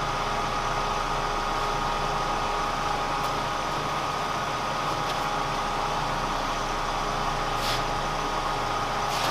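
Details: Kearney & Trecker 307 S-12 plain milling machine after knee distribution box reinstallation, lube pressure set to 25: steady, even motor hum with constant mid-pitched tone, no surging or knocking; normal hydraulic pump running.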